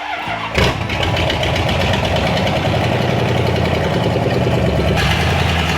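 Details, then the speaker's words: Dodge with original 30,000 miles, just after transmission work and oil added to transmission: catches within a second of cranking and settles into a smooth, deep, even Harley-like idle with no misfire; normal start and idle. "She runs like a freaking jewel. Sounds like a freaking Sounds derby like a car. Harley."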